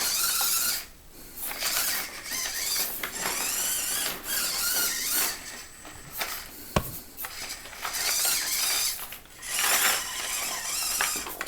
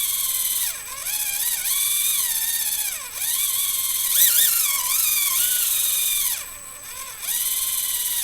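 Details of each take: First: SCX24 JLU with OGRC CVD axles and underdrive gears, after reinstalling the stock knuckles in place of brass ones, dual rate fully up, battery nearly dead. A high thin motor whine rises and falls with throttle, with no clicking or binding; the drivetrain spins freely. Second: SCX24 Jeep JLU RC crawler with CVD axle shafts and modified gearing: high electric whine sags as wheels reach full steering lock, motor bogging from steering bind; fixed later by reinstalling stock knuckles and shortening shafts.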